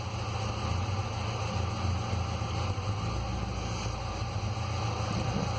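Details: 2006 Ford Ranger 2.3L four-cylinder, 188,520 km, P0300/P0303, power loss and exhaust smoke: uneven, lumpy, very unstable idle with missed pulses over a low hum; cylinder 3 misfire from a leaking exhaust valve.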